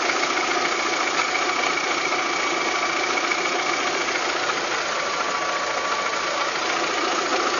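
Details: VW Golf 3 engine at idle with an uneven tapping knock, roughly three or four per second, over a hissy mid-range drone; abnormal engine knocking noise, cause not pinned down.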